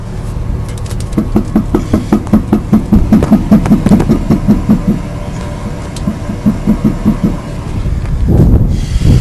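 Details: 2006 GMC Sierra 1500 Z71 4WD with 4.10 rear end, creeping: rhythmic popping about two or three a second from the rear axle, with a weird vibration felt in the tire; forums suggest normal or C-clips, cause unconfirmed.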